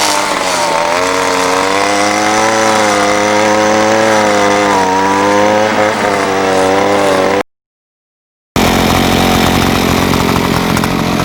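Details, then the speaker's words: Ryobi SS30 30cc two-stroke weed trimmer after simple carburetor adjustment: screams at steady high revs, no bogging or stalling; normal high-speed running. "trimmers running great just a little bit of tweaking has definitely helped and it's probably not exactly fine-tuned but uh you know it's running great as far as I'm concerned here it's just not bogging down it's not stalling out"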